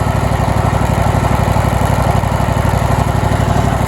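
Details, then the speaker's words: Used John Deere LT190 lawn tractor, 476 hours, low on oil with oil leaks near the exhaust, started on choke: fires right up into an even, quick single-cylinder thump, about four beats a second, steady with no stumbles or knocks; runs healthy. "Let's put a little choke on it, see if we can get it to fire up. Fires right up."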